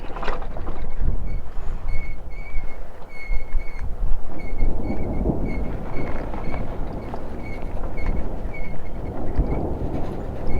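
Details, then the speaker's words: Honda Highness CB350 in Spiti at high altitude, engine off and coasting to trace a noise present since new: faint high chirps about twice a second over heavy wind; service center called it a brake noise, source unconfirmed. "और ये आवाज़ मेरे को starting से आ रही है bike में। जब मैं अपने फर्स्ट राइड पे गया था तब भी मैंने ये फॉल्ट फर्स्ट सर्विस से पहले ही मैंने अपने जो सर्विस सेंटर गाज़ियाबाद में वहाँ पे बताया था मैंने, तो उन्होंने बोला ये ब्रेक की आवाज़ है।"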